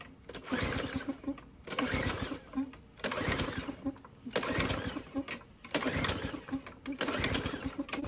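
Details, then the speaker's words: Yard Works lawn mower with a Tecumseh 4.5 hp engine, after cleaning: repeated recoil pulls about a second apart, each a short rasping burst, never catching. It will not start. "So again, it's not running right."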